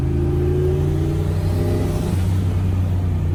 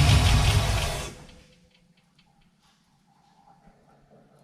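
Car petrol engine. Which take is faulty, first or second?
second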